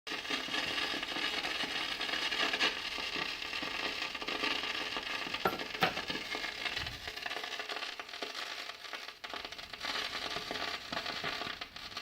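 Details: Kenwood GE-52B graphic equalizer: crackling static and hiss come and go in bursts without being touched, with no hum; RCA cables are good and wiggling connections changes nothing, so the fault is intermittent inside the unit.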